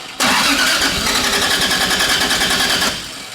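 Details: 2JZ-swapped Nissan 240SX: uneven, lumpy idle with irregular puffs and stumbles, seeming to run on only about three cylinders. The ignition timing is being checked with a timing light; the engine is misfiring.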